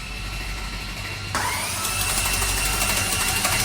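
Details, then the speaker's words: Ferrari F430 engine, rebuilt from scratch, cranked for the first time without spark plugs to build oil pressure. Starter-speed cranking after a click gives an uneven metallic clatter, about three a second, and no oil pressure yet. "d'accord, arrête! Ça a un son de cliquetis. Il y a du pétrole. Le bruit du moteur ne sonnait vraiment pas bien."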